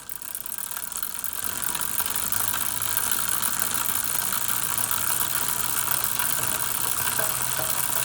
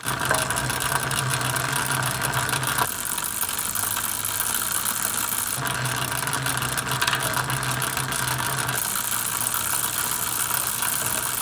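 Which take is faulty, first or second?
first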